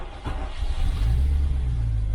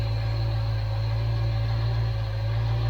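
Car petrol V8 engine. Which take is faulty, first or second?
first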